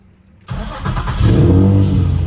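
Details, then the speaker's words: Nissan/Infiniti G35 (VQ engine) after a new battery and a power steering fluid top-up: short crank, then it catches promptly and settles into a smooth, steady low idle; normal start and idle. "Oh, yeah. Sounds beautiful. Yeah, it's much better."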